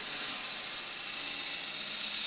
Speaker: this next cut is what it should sound like one is perfect